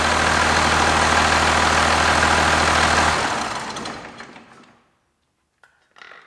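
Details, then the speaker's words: 5.9 12-valve Cummins from a 1993 Dodge Ram swapped into a 1967 Ford F-250, first start in two years on standalone wiring: steady even diesel clatter at idle, then smooth spin-down at shutdown; normal diesel idle. "that's an exciting day to see that engine running inside my 67 ford"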